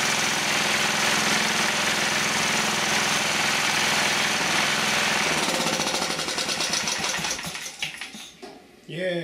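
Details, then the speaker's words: Old-school Proto-Power PP15 generator with a Clinton engine, rescued from scrap; it buzzes along at a steady, even beat for about five seconds, then shuts off and coasts down, running properly. "okay i got enough of it together generator-wise to fire it up and see if the generator works"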